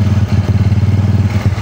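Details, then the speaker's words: Honda Beat scooter CVT pulling away after a new pulley shaft and bearing were fitted, replacing a worn drive that gave a rough, rattly start; the original brass bushing was kept. Now a smooth, even low pulse with no grinding or rattle. "hasilnya untuk tarikan awal itu sudah halus enggak suara grejek-grejek lagi karena aspulinnya udah baru bearingnya udah baru"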